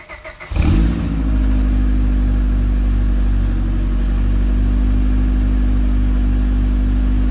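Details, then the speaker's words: Car with a newly installed aftermarket exhaust, to be supercharged later. The engine catches and settles into a deep, low rumble only a step louder than stock, not loud or obnoxious. "The exhaust at least is very, very quiet. I would say just a step up from stock. Not very loud, not obnoxious."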